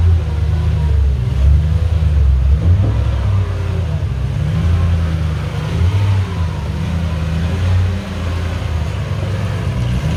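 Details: Mercedes 560SL R107 with swapped supercharged M113K V8 from an E55 AMG (480 hp), manual gearbox, MaxxECU, believed running on E85: deep even rumble swelling with throttle blips, no miss or knock; normal revving.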